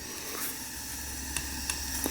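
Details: 1974 Yamaha TX500, sat 27 years in a barn: a leak test on the right-hand cylinder gives a soft, steady hiss of air at the exhaust pipe. The exhaust valve is not sealing, with carboned-up valve seats suspected.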